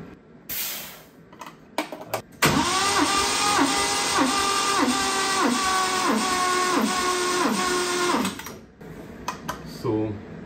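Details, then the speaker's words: 1970 Triumph TR6 during compression test, ignition coil unplugged, throttle fully open, gauge on cylinder one: starter whine dips about three times a second per compression stroke; 165 psi high compression makes starter struggle, head possibly shaved. "Yeah, this is 165, that's pretty high compression. So that's why our starter is having a hard time."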